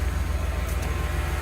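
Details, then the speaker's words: Kia Sedona at idle after a cracked, leaking exhaust Y-pipe was replaced: steady, low, even exhaust burble with no ticking or puffing, everything tight and leak-free. "Car is running and it's quiet again. So yeah, this is it. Pretty good, everything's tight and no leaks."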